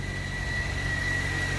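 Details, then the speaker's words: Toyota Corolla just after starter replacement, battery at 12.06 V: starts right up and settles into a steady even idle with a faint constant whine, charging at 14 V; normal idle. "the keys in let's see if it starts here we go start right up so there you go"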